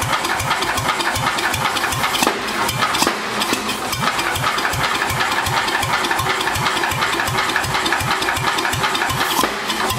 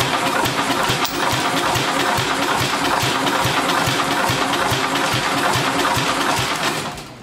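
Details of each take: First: Vintage Wisconsin single-cylinder engine revived, mounted on the floor: even thumping at a steady beat with no misses or stumbles; running normally. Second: Vintage Wisconsin engine with a compression tester fitted: slow, labored, uneven cranking at about 2.5 beats per second that drags and dies away; the battery is dead. The gauge read roughly 25–40.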